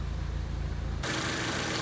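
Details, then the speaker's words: Honda Civic EG idling while warming up after sitting: a steady, even idle with no rattle from the rear anymore. The owner still notes a slipping clutch and worn motor and transmission mounts. Normal idle. "good thing is that you don't hear that rattle in the rear anymore it's just idles pretty good"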